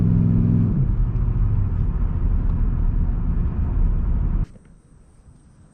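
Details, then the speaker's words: 2002-2005 Dodge Ram 1500, recorded inside the cab on a test drive after replacing worn front wheel hubs: steady low road rumble, no hum or growl rising with speed; front hubs now quiet. "there we go the wheel hubs are replaced and I have a quiet ride again"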